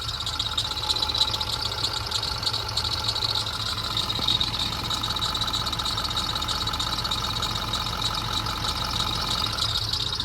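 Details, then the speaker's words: 6.4 Powerstroke diesel at a quiet idle after a short drive, with a blown CAC boot noted. A steady, loud high-pitched drive belt squeal drowns out the engine. "Listen to the engine. Try to hear the engine over the loud freaking belt."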